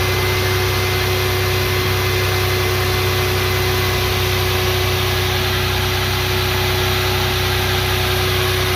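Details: 1996 Toyota 4Runner with 3.4 V6, started right away after two years parked, warm-up idle: constant hum with a slight hiss and no knocks or surges. V6 idling normally.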